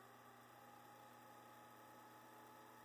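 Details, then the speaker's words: 1957 Gilbert Alco diesel model locomotive with a 24 V motor, after restoration and a power pickup fix: quiet, even whir with a steady faint tone, no longer grinding as it originally did; motor running smoothly. "so one of the things he was able to clean up with this is the sound not a grinder anymore not like the it was originally"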